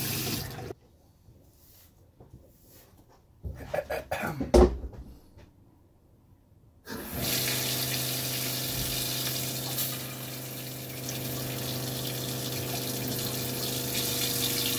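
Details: Bus-conversion water pump during an off-grid plumbing and on-demand hot water test, with the accumulator tank not yet dialed in: quiet, then a steady low motor hum under rushing water flow; pump running normally and holding pressure.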